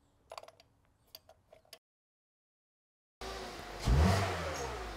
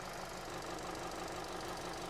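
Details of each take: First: Misfiring Hyundai after a spark plug change (the cylinder 4 plug was heavily carboned and possibly tracking): a few clicks, a pause, then the petrol engine catches, revs once cleanly and settles to an even idle. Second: 2017 Hyundai Sonata petrol with stored P0304 misfire code, idling with an uneven stumbling beat that worsens under load; ignition scope shows poor cylinder 4 pattern, almost sure spark plugs will fix it.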